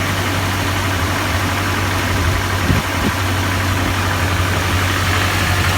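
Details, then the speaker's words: GAZelle with a ZMZ 405 engine, cold: a heavy, rough idle with a dull irregular knock over a low, tractor-like drone. Ignition parts, plugs, coils and the starter are all new, and the cause is unknown. "почему двигатель на холодный вот так стучит, шумит и издает какие-то непонятные звуки."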